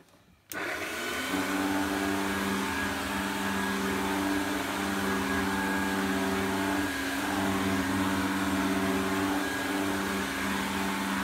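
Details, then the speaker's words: Electrolux 502 vacuum cleaner run with a Turbo Power hose fitted: steady motor roar with a wavering, rough hum on top; owner suspects the motor bearings, not confirmed. "hmm I think that sounds more like the bearings on the motor sounds a bit crazy"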